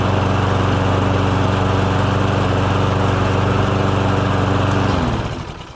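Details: Lawn mower single-cylinder engine, started after sitting in the rain overnight, runs strong and even at a steady speed for five seconds, then winds down cleanly; normal running.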